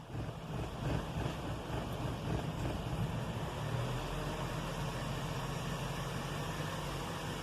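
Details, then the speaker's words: 2012 Chevy Cruze Eco 1.4L turbo with P0171 lean code: low uneven chugging at idle, irregular beat; vacuum leak letting in unmetered air, oxygen sensor reading full lean, fuel pump ruled out. "we see it fluctuating a little bit that's just because of idle it's just chugging because it's got that vacuum leak"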